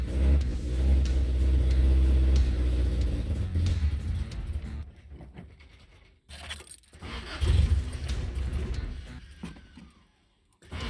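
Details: 1977 Toyota Celica GT after a Weber 32/36 carb rebuild (new diaphragm, sediment cleaned): catches, runs rough a few seconds, fades and surges, cannot hold idle. Owner still suspects a fuel issue.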